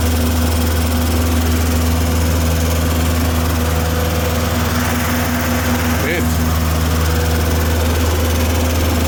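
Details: Tennant M20 sweeper, Vortec 1600 engine, first run after a head gasket replacement and timing belt refit: a smooth, steady hum with an even low beat and no knocks, misses or hunting. It ran 40 minutes leak-free, so the engine is healthy.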